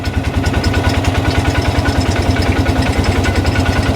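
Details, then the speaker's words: Ranger with previously repaired cam, after rebuild of rocker arms, stator, flywheel and side cover, crankcase vent bypassed: even, steady idle around 200 beats a minute, no knocks or misses; valvetrain cycling normally. "And take a look down in here again. And she's cycling just like it should. So, that's great."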